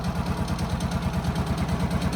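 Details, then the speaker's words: John Deere Gator CX/CS small petrol engine after service with new air filter, fuel filter, spark plug and oil; steady, even low idle thump with no misses, knocks or rattles, no fuel filter leaks, normal idle. "that sounds good everything looks good good"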